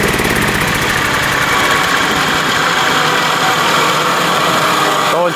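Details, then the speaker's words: Mower after the idle adjust was manually tapped all the way out: a steady, even, fairly high-speed drone with no misses. It slows noticeably when the blades engage but sounds better, and the blades spin faster; normal high-speed running. "So, um, it's now going pretty good right now, but as you engage the blades, it seems like it slows down quite a bit, but it definitely sounds better."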